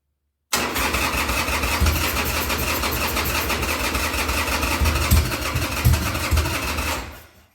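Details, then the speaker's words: 2000 Harley-Davidson Sportster 1200 Custom after six years sitting: six seconds of even starter cranking with choke that never fires; the just-rebuilt carburettor's accelerator pump circuit wasn't primed yet, leaving it fuel-starved. "okay guys uh while i was giving the starter a break there i also realized that my accelerator pump circuit was not even primed yet because i had just rebuilt it"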